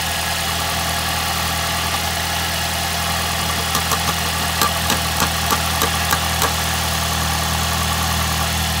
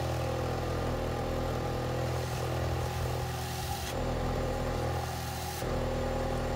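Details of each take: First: 2006 Ford Fiesta ST at idle: steady petrol idle with a thin metallic buzz. The exhaust manifold heat shield vibrates because of a broken bolt, heard before the repair. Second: 2006 Ford Fiesta ST after back box repair and new 4-inch tapered stainless tip; idle and blips give a smooth deep even exhaust note, no leak puffing, quiet under the bonnet.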